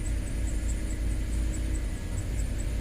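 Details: 2005 Land Rover LR3 4.4L with a deep, uneven, lumpy idle stumbling about once a second. Codes P0300, P0302, P0303, P0304, P0306, P0307 and P0313; cylinder 7 dead. MAF reads high at 20 g/s, fuel trim normal. Misfire persists after previous repair attempts.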